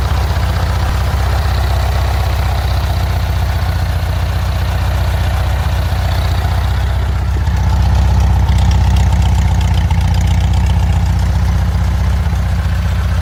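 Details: Engine idling after an exhaust leak repair: steady, even idle with a smooth low rumble; no puffing, tapping or ticking suggesting a remaining exhaust leak, normal idle.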